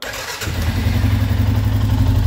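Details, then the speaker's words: 2012 Arctic Cat EFI ATV after a blinking no-start, fixed by unplugging and cleaning a connector and swapping in another battery: engine catches quickly and settles into a steady, even idle with no stumble; normal start. "there you go so it starts just fine everything is working right now"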